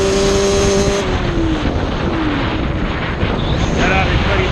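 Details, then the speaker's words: Yamaha Banshee two-stroke held at about half throttle for a midrange plug chop: nasty flutter and uneven stumble that won't clear unless throttled more; owner suspects rich needle setting, not yet confirmed. "Alright, so I'm sure y'all can hear that issue. It's just like it gets to that point and can't pass it unless you throttle it more."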